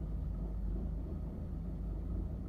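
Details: 1985 Mercedes-Benz 190E at idle: quiet low engine rumble that wavers and lurches unevenly instead of holding a steady beat, a rough idle of unclear cause.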